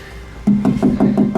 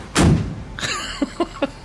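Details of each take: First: 1956 chop-top VW Beetle body panel with no sound padding behind it (later models foam-filled) tapped: sharp taps about six a second, each leaving a hollow metallic ring that hangs on, an undamped panel. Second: 1956 chop-top VW Beetle rear quarter panel, deadened with Killamat-type padding scraps, knocked: four short dull thuds that die instantly with no ring, panel well deadened; floors not yet done.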